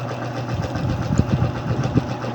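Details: Yamaha Mio Soul i 125 single-cylinder scooter, leaking shock, started on one click: steady even idle with a few faint light taps; a small noise heard but engine judged healthy with no problem.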